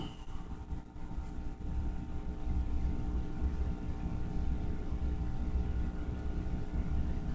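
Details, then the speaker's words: Rockford Fosgate PBR300X4 micro motorcycle amplifier after repair; steady low hum with faint rumble and no music, caused by a failing input cord feeding the amplifier. "i'm going to prove the amplifier is working if you didn't hear it humming just now and that hum is caused by this cord this cord is on its way out it's got some problems"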